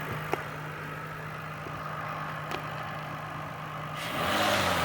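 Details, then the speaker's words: 2008 Ford Fusion at about 176,000 miles: steady low-hum idle then clean rise in pitch when revved, no knocks or rattles; healthy. "oh yeah just a little movement it's fine that runs good yeah I should do that to M sounds great"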